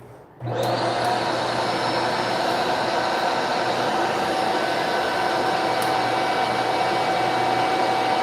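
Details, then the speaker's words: Vacuum on, motor spins up to a steady even whir with no brush-roll beat; floor head not powered, cause unconfirmed, possibly wiring, switch or a safety interlock being checked. "right, you see? It's on, but nothing's happening right now."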